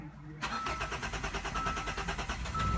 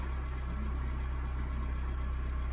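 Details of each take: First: 2015 Hyundai Santa Fe with hard or no starting: starter cranks evenly for about four seconds but the engine never fires, and no rpm signal registers. Cause is a blown sensor fuse. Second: 2015 Hyundai Santa Fe with hard and intermittent no-start, after replacing a fuse with the proper 10 A fuse: starts quickly into a low, smooth, even idle hum, no misses or hunting; normal idle.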